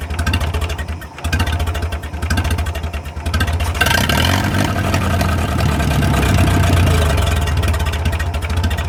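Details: 1937 Willys flathead engine, run after 25+ years sitting in the woods: low even idle, deep steady pulse, no knocking, only faint valve ticking; runs like new.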